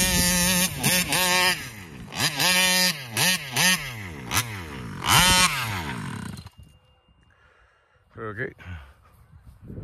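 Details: Taylor RC 35cc reed-valve two-stroke freshly installed in the Punisher RC car, being tuned at the fairgrounds: repeated rev sweeps with an unsteady, fluttery top end instead of a clean one; high-rpm flutter, cause unconfirmed.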